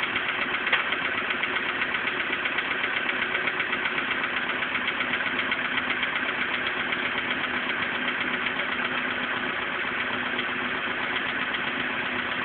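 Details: VW Polo Sedan engine at idle before piston group replacement: a steady dull knocking of roughly two beats a second sits over the idle. This is piston knock from the worn piston group.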